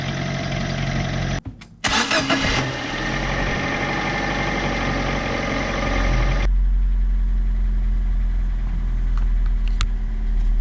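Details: Fiat Seicento after a no-cost cleaning repair of its noisy starter motor: short, clean crank catches quickly, and the small petrol engine settles into a steady, even idle.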